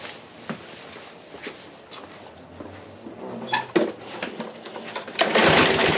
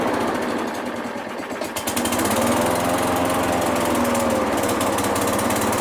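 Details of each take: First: Briggs and Stratton small engine after a carburetor cleaning: it starts raggedly, then settles into a steady, even high-pitched drone with no hunting. It no longer runs slow and now runs normally. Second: Craftsman mower with a Briggs and Stratton engine, first spring start after spraying carb cleaner into the carburetor, air filter refitted, pulled without priming: it catches and stutters unevenly, then settles into a steady buzz; hesitation assumed from an incompletely cleaned carb.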